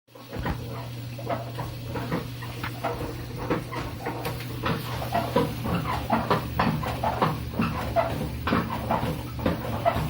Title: Samsung front load washer making noise during cycle - broken spider - Samsung making shit